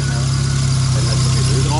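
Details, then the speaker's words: Opel Corsa A GSI racecar warming up at idle on its first start after more than 10 years standing: a deep steady drone with a slight even pulse and no misses or rattles. The engine is judged to sound good. "ja aber klingt guter Motor ne ich will nicht wissen wer der verbraucht Alter"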